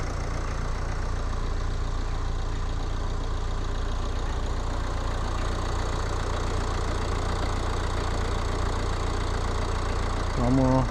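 Even, steady low diesel rumble with the usual light clatter and no misses; a healthy cold idle.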